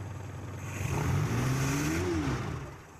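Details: Carbureted Suzuki Espass that died at low RPM, after cleaning its carburetor idle jet: engine picks up cleanly from idle, pitch rises smoothly and drops back without stumbling; revs freely and holds steady.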